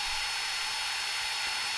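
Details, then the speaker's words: Air-cooled 1.5 kW spindle on a homemade CNC, run by a VFD and maxed out at 24,000 rpm: a steady high-pitched hiss and whine with no wavering, knocking or rub, just a bit airy; a normal spindle at full speed. "this is around 80,000 rpms and this is maxed out and 24,000 rpm now"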